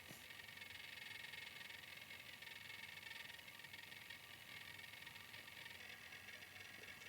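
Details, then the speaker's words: Viltrox Ninja 30B 300W bi-color COB LED studio light, cooling fan spinning up to full speed right away at switch-on: steady airy fan rush with a faint thin high screech from the fan bearing; quieter once mounted on a stand. "the fan will pretty much spin up pretty much full speed right away when you turn the light on so that's another point to consider as well and you may be able to hear the fan bearing just screeching a little bit right"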